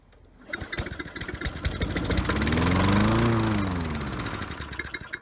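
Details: Toro Recycler 20016 mower found free, with a carburetor that is flooding over and an earlier no-spark fault, started before the carb teardown: the single-cylinder engine catches, rises to a quick, even putter, then eases slightly. The engine runs.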